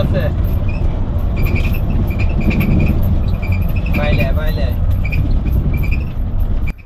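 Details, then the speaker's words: Hino RN AC coach, heard from the front seat while driving: short, high, irregular "kach kach" squeaks over heavy road and engine rumble, attributed to some problem with the front left wheel; cause unconfirmed. "সামনের চাকার বাম পাশের চাকা কোন একটি problem থাকার কারণে আওয়াজটা শুনতে পাচ্ছেন। এরকম ক্যাচ ক্যাচ টাইপের আওয়াজ বিরক্তিকর একটি আওয়াজ হচ্ছে।"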